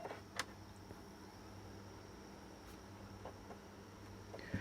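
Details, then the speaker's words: Xbox One S console that was shutting down from overheating, after cooling fan replacement: soft, even low hum of the fan spinning smoothly, much quieter than before, with a few handling clicks. Normal fan running. "You can hear and feel the fan is running. It's a lot quieter than before."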